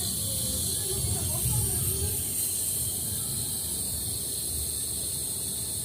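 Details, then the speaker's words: Two-door refrigerator, not cooling in freezer or fridge and noisy in the freezer, with a refrigerant leak and insufficient freon: steady high airy hiss as remaining freon is slowly vented from the system before running the compressor. "Oke, kita coba buang perlahan-lahan kandungan gas freon yang ada pada sistem ini. Dan jumlah dari gas freonnya ini tidak mencukupi, sehingga kulkas ini menjadi tidak dingin."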